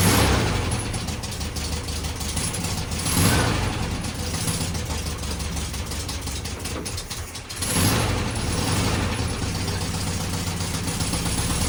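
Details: 1969 VW Beetle running on its own after 33 years stored, with cleaned points, rebuilt carburetor and rigged fuel system: loud steady clattery run, quick tapping pulse, brief dip.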